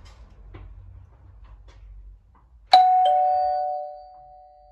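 Quiet room, then a single clear ding-dong chime rings out and decays smoothly; doorbell chime working properly.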